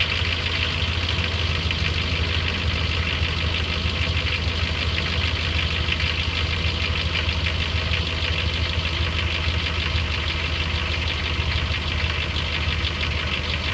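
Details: 2003 Dodge Ram 1500, 4.7 V8, cold start: a fast, loose knocking-ticking over the idle rumble that fades to a light tick once warm; loudest on the passenger side, where the owner suspects a broken exhaust manifold bolt, possibly lash adjusters or timing chain.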